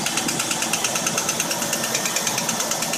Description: vx ss 2000 commodore engine knock fixed after replacing lifters and worn camshaft.